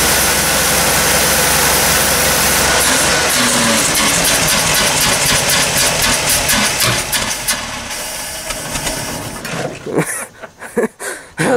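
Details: 1964 GMC Custom Cab pickup, 305 V6, first start after sitting about 15 years: a loud, ragged roar surging unevenly at roughly seventy-odd pulses a minute, with lots of smoke. The long-dormant engine is running rough.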